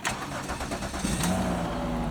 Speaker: Definitely started up a lot better cuz the tender was on it, not the charger and the maintainer.